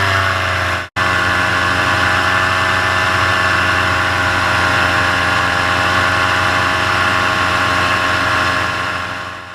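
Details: Paramotor in flight just after launch, full fuel tank, motor under an hour of flying time, full throttle: loud, steady high-revving drone with no surging or dropouts; pulling healthily before the later bogging and failure.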